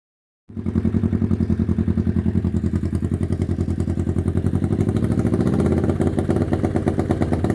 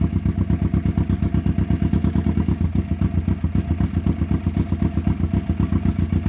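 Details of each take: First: 1991 Kawasaki EN500 motorcycle that was bogging, chugging and backfiring: uneven, lumpy chugging at a low steady speed with irregular pulses; rough running from a faulty ignition pickup coil upsetting the timing. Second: 1991 Kawasaki EN500 twin after fitting replacement pickup coils (new ones had been out of range, throwing off ignition timing and causing stumbling): steady, even idle thump about four beats a second, no misses; normal idle.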